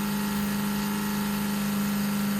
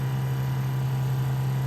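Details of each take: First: 1968 Plymouth Barracuda drag car, Summit black electric fuel pump heard switched on from inside: steady droning whine shifting pitch then cutting off; pump labouring with no return line, had surged racing in 90+ degree heat. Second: 1968 Plymouth Barracuda drag car fuel pump after adding a return line and Moroso fuel log for the 850 carburetor, pressure just under 6.5: smooth, steady, quieter low hum with less vibration and no surging, healthy.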